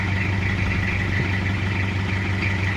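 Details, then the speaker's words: Toyota Kijang diesel after engine overhaul: smooth, even idle with steady low clatter and no misses or knocks; engine sounds normal. "untuk pembakaran Alhamdulillah normal gak ada kendala ini udah selesai tinggal kita tes drive suaranya juga udah normal"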